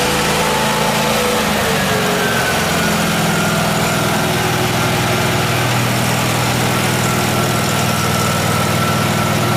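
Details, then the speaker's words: Miller Trailblazer engine-driven welder after repair, running steady under welding load with welding crackle, no hunting or stumbling; 120 V outputs checked working; normal running under welding load. "well that's that it's all fixed oh definitely well it's no problem and I checked the 120 volt outputs and they work no problem"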